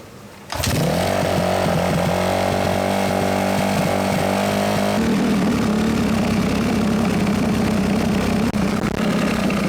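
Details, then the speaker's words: Suzuki RMZ250 dirt bike after fluid changes, air filter still dry and unoiled: it fires and holds a high, fairly steady idle, then drops to a lower, less even burble; it later proved to run badly on rides, with fueling suspected. "I thought I had it running pretty good in the video and then once I actually got to take it for a ride I worked out it was still running pretty much like crap"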